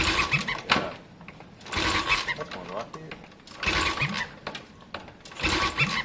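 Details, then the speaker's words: Triumph Bonneville during a compression test, choke closed and throttle open: starter cranks in bursts about every two seconds, each with a high chirpy squeal like a puppy, source unidentified; gauge reaches about 155. "sounds like you've got a puppy in there or something"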